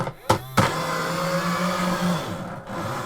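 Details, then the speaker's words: Sega Video Driver toy on batteries, car drive motor: two sharp clacks, then a strained buzzing whine with a gritty rasp as it repeatedly sticks and jams; a gear is slipping loose on the motor shaft. "Oh, there it goes. That's not exactly quiet, is it?"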